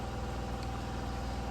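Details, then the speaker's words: GMC Sonoma, cold, idling at 500 rpm after fixing the misfire by a crank sensor relearn (earlier two plug wires were swapped): low, even idle with a steady regular pulse, no stumbles or skips; running smooth, normal. "Running smooth. And you can hear it. Yeah, she's running good now, and she's idling."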